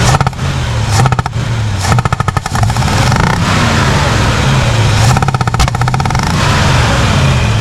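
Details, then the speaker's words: 1967 Chevrolet Impala 283 V8, starter replaced, black smoke; sharp bursts of popping back through the carburetor over a lumpy idle, worse on revs, exhaust sounds good; stuck or non-sealing intake valve suspected, not confirmed. "oh girl sounds good at the exhaust but that popping through the intake that's showing it's got a stuck intake valve or an intake valve but this is sealing completely"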